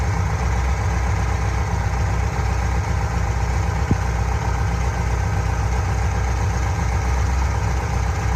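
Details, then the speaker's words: Fuel-injected Corvette V8 restarted after adjusting the valvetrain and securing the lock nut for a noisy lifter: steady low idle rumble, clacking no longer heard. "could it be i'm not hearing any clacking anymore"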